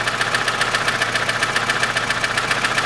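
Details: 2006 Chevrolet Lanos, 1.5 petrol, manual, 342,000 km, idling: sharp even ticking about 220 a minute from one valve; cause was a poor-quality worn rocker arm.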